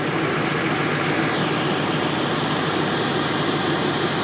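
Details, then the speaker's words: 2002 GMC Sierra 2500HD after exhaust manifold gasket replacement and broken bolt extraction, cold start: steady smooth idle with soft hiss, no exhaust tick or rattle; normal quiet idle, slight buzz possibly injectors. "not making noise ugly is all get out but hey listen to that so quiet it's so nice"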